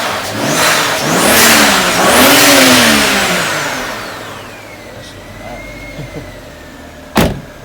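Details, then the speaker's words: BMW just after cleaning VANOS solenoids (for codes 2A87, 3100), engine revved twice: clean whistle rising and falling, then steady; turbo spooling normally, though codes later returned including P0015. "whistling noise i love how you can hear the turbo is good"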